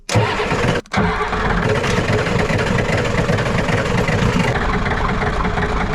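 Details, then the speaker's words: Ford 7.3 IDI diesel revival after reconnecting glow plug wires: long steady cranking that catches and settles into a rough idle; owner suspects air in the fuel system; fast idle works afterward. "we might be dealing with some uh air in the system"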